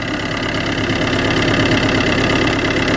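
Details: Car with a flat battery started using a battery booster: steady, even idle rumble with a regular firing beat, no misses or knocks, while the booster clamps are removed. Normal idle.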